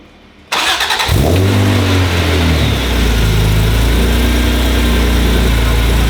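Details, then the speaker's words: Previously abandoned NSX with fully built engine, supercharger and aftermarket exhaust, warming up after a startup tune with rpm held at 2,000: deep steady even exhaust rumble with faint supercharger whine; healthy warm-up, cooling fans working. "Exhaust note is so good, and then you can faintly hear the supercharger whine."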